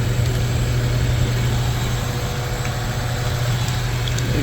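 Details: EF Civic sedan after timing belt work and valve lapping, filmed to catch an earlier belt screech and stall: steady, even low hum with no misses, ticks or knocks at idle; running smoothly.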